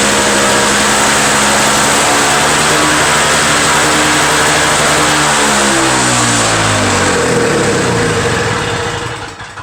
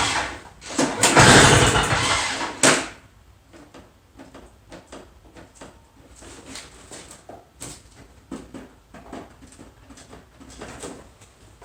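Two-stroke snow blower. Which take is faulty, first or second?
second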